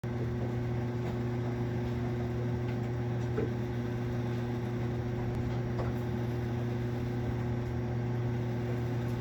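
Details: Marine Air Systems Cabin Mate air conditioner on a Mainship 40DC boat: loud, steady low buzz of constant pitch while the compressor strains to start; cause unknown.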